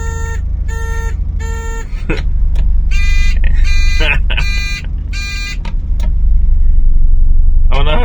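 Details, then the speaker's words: 1986? Honda Acty kei van, idling during checks before its MOT: bright chime tones repeat about every half second as the indicators run, the van's normal turn-signal chime, which the owner calls hilarious. "you've got to hear these indicators they are absolutely hilarious"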